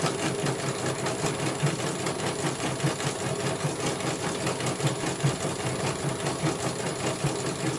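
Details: CNY computerized embroidery machine test-stitching a small design after a service for a motor that would not turn. Even, rapid needle clatter with a soft motor hum, no grinding or whine. It finishes one color and the technician calls it very good.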